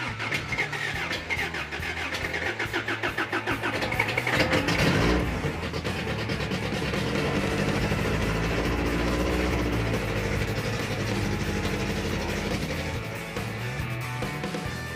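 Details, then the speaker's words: Freshly rebuilt carbureted 350 V8 on first start with timing set close: cranks, fires and catches, settling into a lumpy, uneven run with sharp exhaust pops sounding like raw fuel exploding; loose rocker arm suspected, not confirmed. "timing is where we need it but it's popping out of the exhaust and uh sounds like raw fuel exploding the exhaust"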